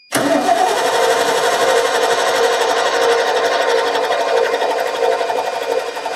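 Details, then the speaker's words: 1989 Ford F150, 61,000 miles, sat over 20 years: starter churns engine over steadily, roughly ninety pulses a minute, never catching. Cranks but won't fire; owner suspects old fuel, considers starting fluid. "Man, she's thinking about it. She's thinking hard about it."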